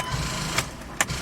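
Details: 2005 Chrysler Pacifica 3.5L V6 AWD, transmission in neutral, after new starter fitted: two sharp clicks about half a second apart, no cranking; starter fails to turn the engine, later traced to a seized alternator binding it.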